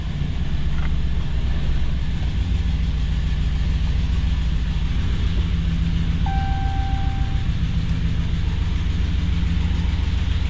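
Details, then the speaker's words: 2014 Dodge Ram 1500 with swapped-in 2011 5.7 Hemi V8 at idle after first start: deep, even rumble with a puffing pulse of about three or four beats a second; exhaust leak. "Exhaust is leaking, but that's no big deal."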